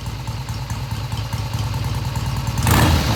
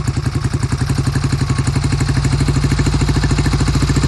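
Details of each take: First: 1971 Triumph T120 650cc twin after carb tweaks of about an eighth turn: steady beat of about four pulses a second, picking up cleanly on throttle without stumbling and revving through mid-range; normal idle and revving. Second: 1971 Triumph T120 650cc twin, cold start after long sitting: lumpy, uneven firing with the left cylinder cutting in and out, never coming in consistently.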